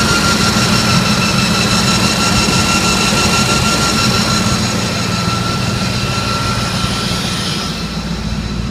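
Steady high whine rides over a droning engine with a soft pulse about three times a second; something abnormal, cause not pinned down.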